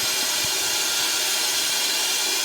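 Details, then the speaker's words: M925A1 army truck with rebuilt engine: constant sharp hiss over a faint engine; a blown brake air diaphragm is causing an air leak. "Oh, and you can hear I got a blown diaphragm over there. There's my air leak."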